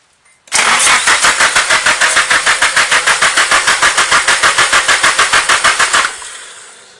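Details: Nissan SR20 engine not started in about a year: fast cranking at about three turns per second for five seconds but it never fires; the fuel pump primes and a hissing sound is heard, cause unknown.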